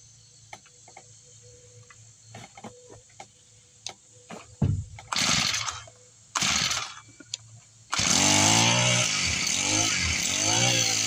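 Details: Husqvarna 324L four-stroke trimmer, three or four years old, with a new replacement carburetor and a primed bulb after a yearly no-start problem: a few pull-starts, then it fires and holds a smooth, steady run with throttle swells; fixed and running fine.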